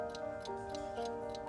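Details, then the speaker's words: 1960s wind-up alarm clock, silent for over 30 years, just restored by a horologist: light, evenly spaced ticking about three a second, running steadily and healthy; still set at 20 past. "and it's ticking. And it's still at 20 past."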